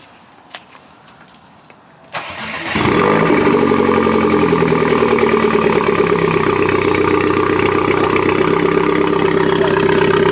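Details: Mini Cooper S R56 petrol engine after cylinder misfire diagnosis, coil pack swapped between cylinders and codes erased: cranks briefly with clutch pressed, catches and settles into a smooth, steady idle with no stumbling.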